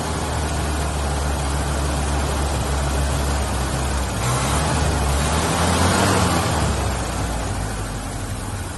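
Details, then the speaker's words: 1983 Ford Ranger 4x4 four-cylinder, first start in years after a new battery, carburetor primed twice; steady low rumble that rises with a smooth rev and settles back, no knocks or misses; runs normally. "wow impressive I just primed the carbur twice I need fill the bowl up I just primed the carburetor you saw the first time that's second time it was running it ran till I cut it off"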